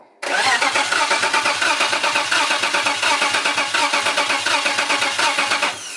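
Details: BMW E90 with turbo M52 swap, first start attempt: starter cranks steadily at five or six compression beats a second but never fires; spark and injector pulse being checked next.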